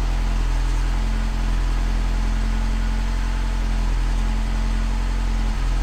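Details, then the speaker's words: BMW F30 316i, N13 engine, cold start at about 4–5 °C just after replacing a coolant temperature sensor that wrongly read the engine as warm: steady low idle with a few brief stumbles; the owner still suspects occasional misfires and plans a drive to check. "still feels like I heard some misfires but I think I have to drive it for a while"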